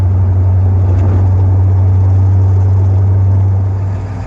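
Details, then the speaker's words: Fuel-injected Corvette after a drive, owner wondering about a noisy lifter: deep idle rumble pulsing about four times a second with slight lope, shaking a bit too much in owner's view; rough idle, possibly a choppy cam, unconfirmed. "so here we are idling away i think it's shaking a little bit too much"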